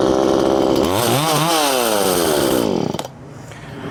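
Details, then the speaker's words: Poulan 2500 Farmhand (same as 2900), .325 chain replacing 3/8 low profile, cutting wood: revs cleanly to a high steady scream, bogs only slightly in the cut, then drops back. Normal running under load. "But whatever, it runs good and it's perfectly acceptable."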